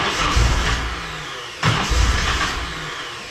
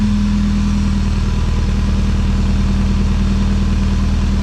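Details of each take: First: Nissan 240SX with engine rebuilt after timing chain snapped, first crank attempt with timing roughly set at the distributor: steady starter churning about three to four beats a second with stronger surges, engine never catches. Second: Nissan 240SX with engine rebuilt after timing chain snapped, running on its own after distributor timing set: smooth steady idle with even low beat, no knocks or ticks, cut off abruptly; sounds healthy.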